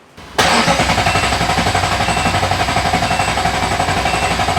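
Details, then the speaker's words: Ferrari-engined Alfa Romeo 105, rebuilt after a serious failure, cranked without coolant and with the fuel pump fuse pulled to build oil pressure: even pulse of about four beats a second; compression healthy, oil pressure building. "Sounds like it's got compression. We're making oil pressure."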